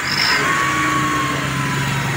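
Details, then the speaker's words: Minivan after broken exhaust pipe to muffler was reattached and acetylene welded: engine runs at steady pace with even exhaust note, no puffing, ticking or rasp; normal exhaust note. "At ngayon paandarin natin to at pakinggan natin after natin na ikabit at na-full wheel natin ng acetylene mga boss, okay?"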